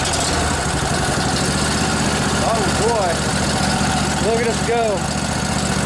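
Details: Revived junkyard Briggs & Stratton Intek OHV twin, 20–22 hp, model 40777, in a Husqvarna riding mower, with a new carburetor: steady, even idle with no hunting or misses, birdsong in background; runs healthy.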